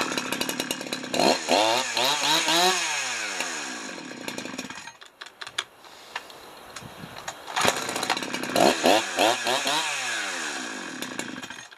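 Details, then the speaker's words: Husqvarna 372XP chainsaw, Walbro carb rebuilt with China parts, warm: after low-speed screw turned much richer, revs surge and sag unevenly, stumbling and dying between blips; running got worse, still won't idle. "So I just increased the low speed to make it rich, quite a bit more rich than what it was. We'll see how it runs."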